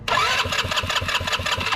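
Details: 2006 Yamaha Touring Strata RX150 GY6 scooter that sat a long time, with excellent spark confirmed: steady starter cranking about six beats a second that never catches; won't fire, stale fuel and gummed-up carburetor suspected.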